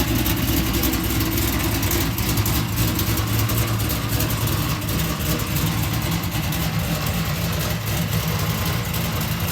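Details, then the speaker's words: LS-swapped fuel-injected Oldsmobile Cutlass after no-start repair, pinched fuel pump circuit wire that shorted the relay and set a fault code fixed: low steady rumble holding even idle, no stumble, miss or hunting; healthy. "Alright, so we got her all fixed, got her running as you see. The issue was with there was a pinched wire for the fuel pump circuit."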